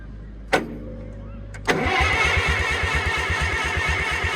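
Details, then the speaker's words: IH tractor engine with the oil pump reinstalled, cranked on the starter to check oil flow; after a clunk it turns over evenly, about three compressions a second, without firing. Cranking is healthy and oil pressure then shows on the gauge. "I guess I'll just spin it over some and see if it's oil flowing."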